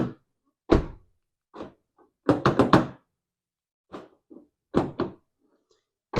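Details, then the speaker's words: 2010 Toyota Yaris with newly installed aftermarket keyless entry: remote locks and unlocks all doors, sharp actuator clunks in quick bursts separated by silence; power door locks working normally. "Okay, so I'm going to lock it and unlock it. And it works the same for all the doors."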